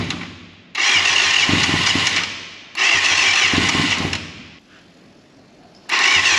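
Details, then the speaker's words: 1989 Yamaha FZR600 Genesis, unstarted for over 4 years, new battery: three long bursts of fast cranking with pauses that never catch; owner suspects float bowls not yet filled with fuel and a silent fuel pump, unconfirmed. "all right so the float bowls still need to be filled with fuel properly before it'll actually fire up so i think we're just waiting on that to actually happen properly"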